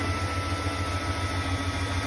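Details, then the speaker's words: 1993 Ford F-150, 5.8L 351W V8, after an old throttle position sensor was fitted: a steady, smooth idle. Before, it had an erratic stuck-high idle, then no start with code 121 from the shorted sensor. "Well, you see, the thing's working just fine now."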